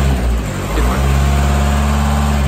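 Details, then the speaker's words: Audi A4 Cabriolet 2.0 TDI BPW after injector rocker shaft oil plug leak repair and rocker cover refit: deep, steady diesel idle with no ticking or tapping; hydraulic lifter noise gone once oil pressure built. "noise of hydrology lifter is actually gone"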